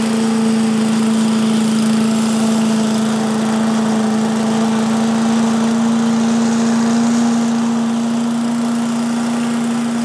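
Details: 1985 Billy Goat leaf blower with Briggs & Stratton 8HP single-cylinder engine, after new spark plug, oil change, air filter and replacement fuel tank: steady even drone, constant tone, no misses or surging; started easily, running cleanly.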